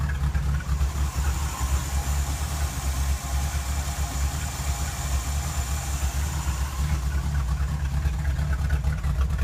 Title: The 66 rough idle after waking up